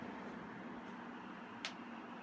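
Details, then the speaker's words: HVAC blower motor after bearing replacement, circuit board resoldered and cover refitted: steady even airflow hiss with faint low hum, no growl or bearing rumble; quiet, normal running. "once you're done this is what it'll sound like there's no humming it's nice and quiet that's blowing"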